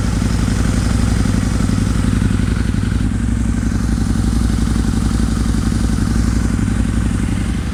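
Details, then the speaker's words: 2003 Harley-Davidson Anniversary V-Rod, liquid-cooled V-twin, during service: steady, even low thump around four beats a second, no ticking or knocking; idles cleanly, sounds very good. "it does sound very good once it's warmed up and I get the coolant to start moving around in the system"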